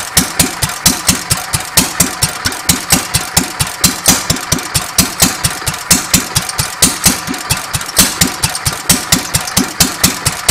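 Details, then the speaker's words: Petter A1 stationary engine after timing setup, running without exhaust: sharp open-exhaust pops about four a second, evenly spaced with no misfires; running quite well. "but as it stands just for getting it going I think this engine's running quite well"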